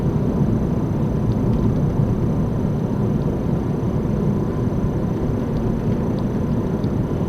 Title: Front Wheel bearing Annoying Sound.